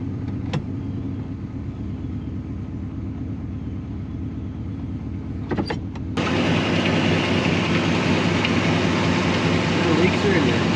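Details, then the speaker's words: 1969 Buick Wildcat big-block V8, barn-stored nearly 3 decades, idling after switching to 10W30 oil and a new oil pump: instant oil pressure, much quieter, no blow-by; deep, smooth, even idle with no puffing or ticking, healthy. "I think that 10W30 and that new oil pump definitely made a big difference. Much quieter. Huh? So much quieter. I like this thing, doesn't have any blow by or anything."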